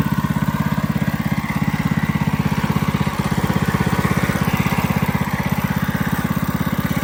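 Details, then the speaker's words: Coleman CC100X mini bike with new 212cc Hemi, governor and oil sensor removed, torque converter installed: loud, quick, even single-cylinder putter at fast idle, no misses or knocks; runs healthy, needs slight adjustment. "it fires up I'll go ahead and do that right now it's a little loud got to adjust I got to adjust it a little bit"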